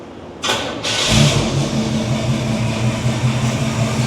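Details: 1983 Chevy C10 with 350 small block, after a Holley 4bbl carburetor swap fixing backfiring: brief crank, the V8 catches at once and settles into a smooth, steady, burbling idle; a healthy start and idle.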